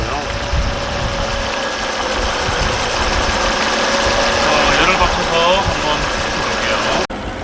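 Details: Volvo C30 petrol engine at idle after repair of a whistling noise the owner reported: smooth, even idle with no whistle or hiss over the engine note; the noise is gone and the fix worked.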